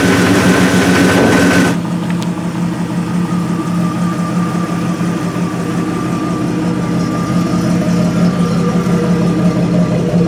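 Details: Jeep 4.0L after swapping to new 12-hole injectors and ECU reset; catches and settles into steady, even low idle with no knocks or misses; ECU may need up to 50 starts to learn; normal idle.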